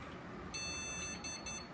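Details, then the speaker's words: Newly built PC on an Aorus Pro Ice motherboard, tested with known-good GPU and RAM and after a BIOS update: one long and two short POST beeps, VGA debug LED lit, no display. Faulty motherboard suspected. "비품 소리 삑 삐비비빅 VGA에 불이 들어오고 반응이 없습니다. 일단 보드 불량이 아닐까 가장 의심이 되고요."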